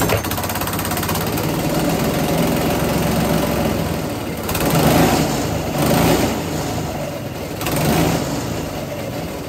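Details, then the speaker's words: GX200 Honda-clone single-cylinder engine converted to hydrogen, on a go-kart, running 100% hydrogen without water injection: chugs hard and unevenly with surging swells every second or two; rough running, owner notes intake valve would eventually overheat if run too long on pure hydrogen. "Okay, so that was running 100% hydrogen."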